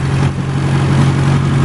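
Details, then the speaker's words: 2002 BMW in Verona red, M10 four-cylinder, stored 3.5 years and possibly rebuilt in the 2000s, recorded from the street approaching the engine. Smooth, even low hum with no misses, knocks or ticks; healthy steady idle. "this engine just purrs like a kitten i don't know if you can hear it we're right on the street here"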